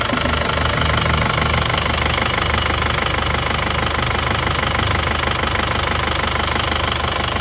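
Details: Isuzu Panther Touring New diesel after engine overhaul (rings, head gasket, valve seals, clutch): even steady idle, vibration and tak-tak tapping gone; normal diesel idle.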